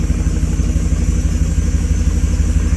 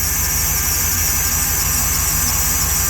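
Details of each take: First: 2014 Jeep SRT8 after repair for a broken valve spring; deep steady V8 idle, even pulse, no ticking or misses, running smoothly. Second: 2014 Jeep SRT8 auction buy with a broken valve spring, cold weather: steady high squeal over an even V8 idle; power steering pump whine suspected, not confirmed. High-pitched squeal at idle.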